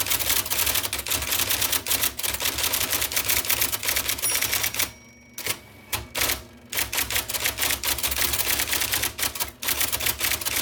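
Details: 1979 IBM Selectric II (non-correcting) typewriter, restored after a miswired plug, cleaning, flushing and lubrication: crisp, rapid type-ball strikes at an uneven human pace, with a brief pause and a carriage return; normal, healthy typing.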